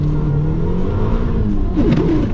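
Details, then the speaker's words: Mitsubishi Eclipse (4G63) manual transmission under load, brief harsh grind on upshift, bad in second and third; missing shifter bushing replaced without fixing it, trans fluid replaced with synchromesh. "The transmission in the Eclipse, it grinds. It grinds pretty bad in second and third."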